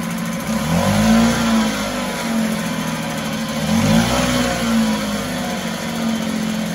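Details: 1974 Mercury 4 hp single-cylinder two-stroke outboard in a test tank, after carburetor passages were cleaned with air: picks up and settles smoothly through throttle blips, clean steady drone between, no stumbling; runs like a top.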